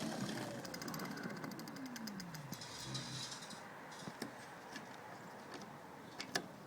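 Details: Magic Pie hub motor with newly fitted 8-speed freewheel, in first (bottom) gear after derailleur adjustment: light, quick, even ticking from the freewheel pawls as the chain spins backwards, no rubbing or scraping; clearance looks fine.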